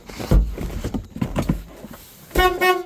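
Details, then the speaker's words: 1975 El Camino horn test after some clattering handling noise: two strong, steady, full and clear blasts. Horn works normally. "Whoops, that works. The horn works."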